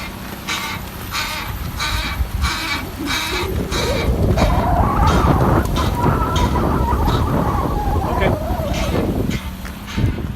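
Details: 1999 Nissan Altima while driving: rhythmic scraping grind from the driver's side front wheel, pulsing about three times a second, then a wavering squeal over road rumble. Noise persists after both brake pads and rotors were replaced.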